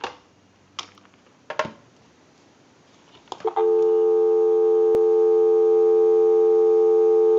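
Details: 554 rotary dial wall telephone after repair and conversion, heard through an amplified pickup taped to the handset; a few handling clicks, then a clean, steady dial tone for about four seconds, showing the line and handset working.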